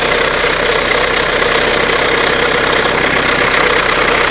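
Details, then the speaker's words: 1997 Mitsubishi Eclipse at idle: loud, fast, slightly uneven tapping, around four per second, seemingly from the timing belt area rather than the engine. It began recently, with no overheating or oil pressure light. Lifters are suspected; cause unconfirmed. "because you can tell the noise is pretty loud. It doesn't seem to be coming from the engine, but more from the timing belt area."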